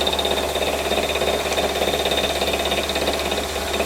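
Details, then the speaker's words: Boring bar chattering from excessive overhang while taking 1/2 mil cuts at 1,000 RPM on a compound slide replacement block; fast buzzy rattle with a ringing high tone, bar should be 15 mil further in. "A bit of chatter you can hear is because I got the boring bar stuck out so far. I'd rather have it in another 15 mil or so, as I said, stop it bouncing."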